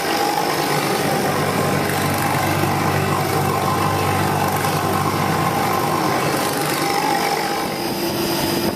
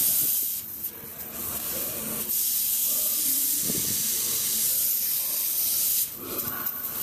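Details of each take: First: HVAC condensing unit after resealing fusible plug; condensing around 40° and evaporating about -8, ice starting on coils; steady compressor hum and smooth fan rush, no knocks or rattles; normal running. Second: HVAC unit during leak testing: steady high-pitched hiss of refrigerant escaping, pulsing slightly, no machinery running; leak at a worn pressure switch fitting that moved when leaned on.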